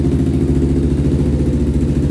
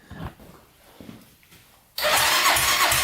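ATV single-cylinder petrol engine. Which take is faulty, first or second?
second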